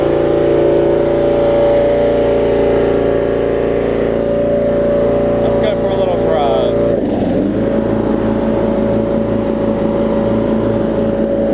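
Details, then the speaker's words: 30-year-old Murray riding mower with Briggs & Stratton Vanguard engine, revived with fresh gas, new fuel line and an oil change: steady, even running settling into a smooth pulsing idle, no knocks or misses; healthy. "mike said it's running great working great cut level super nice to be thirty years old with the vanguard engine on it as well"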